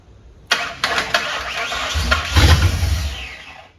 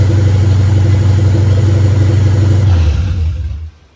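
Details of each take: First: 1959 Ford wagon with standalone Lincoln Town Car EEC wiring, start attempt: one long steady crank of about three seconds with no firing; injectors fire but the fuel pump gets no signal; crank no start. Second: 1959 Ford wagon with Lincoln Town Car EEC standalone wiring, first start with fuel pump ground and relay still unhooked: deep, even idle, steady low beat, no misses or knocks, not smoking; normal idle.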